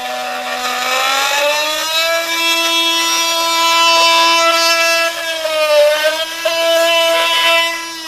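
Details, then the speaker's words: Milwaukee 2836-20 M18 FUEL oscillating multi-tool cutting pressure-treated 2x lumber: buzzing tone climbs as the blade bites, settles under steady pressure, then dips and recovers; normal load-sensing ramp-up, more power the harder it is pushed. "So you can hear that as I went into the wood, that it ramped it up as I got into it, and the harder I pushed, the more it would ramp up the power."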